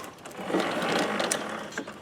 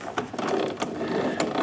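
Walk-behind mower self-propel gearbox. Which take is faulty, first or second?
second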